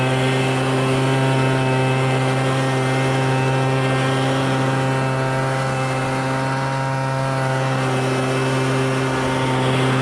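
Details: MTD Bolens BL125 two-stroke leaf blower after carburetor repair and adjustment for no-start and bogging: clean steady high-pitched buzz at constant speed, no bogging or surging; carburetor set right and working.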